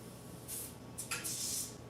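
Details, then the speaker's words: Demolition derby car engine bay after adding gas to the tank and running the fuel pump; short, sharp hissing bursts of pressurised spray as fuel escapes, a massive fuel leak up top. "let's see if it sounds any better I think we're going to have a massive fuel leak up here I can hear"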